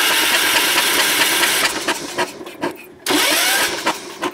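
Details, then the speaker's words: Long-sitting non-running Ford garden tractor, spark plug removed to check spark: starter spins the engine with quick uneven whirring, stops, retries; turns freely with spark present but no fuel yet to the carburetor, so no start. "it works for me all right it's got sparking it cranks over so uh now we're going to go set up to put the uh fuel to that carburetor and see if she comes alive"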